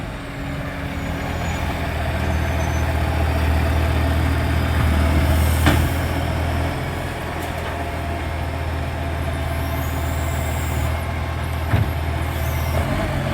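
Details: Loud diesel exhaust leak on a 3520: deep idle carrying a quick, fairly even puffing chuff, about four a second.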